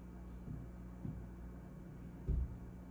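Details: A fridge makes a quiet, steady low hum with a few irregular soft thumps; an unusual, weird noise, cause unclear.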